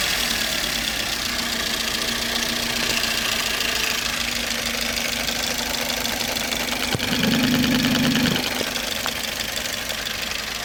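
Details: Toyota Vitz 1SZ-FE petrol engine: rough idle with sharp diesel-like tapping about three per second; knock periodically fades then returns, source not yet determined.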